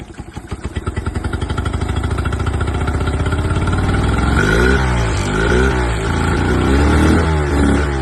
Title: Honda 8D misfire